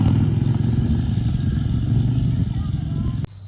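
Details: Barn-find Honda SilverWing GL500 that sat outdoors for decades, revived and cleaned up with a new key and valve stem: a low, steady rumble holds smoothly for about three seconds, then cuts off. Normal running.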